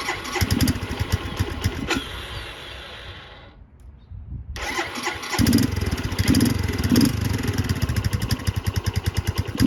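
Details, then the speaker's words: Barn-find 2005 Suzuki GZ250 with 950 miles, after fuel-flow trouble at the petcock: single cylinder catches after a stumble into a lumpy, uneven idle with loose popping beats; running very rich. "That sounds better. She is really rich though. Let's see, there's a way to adjust the mixture on that."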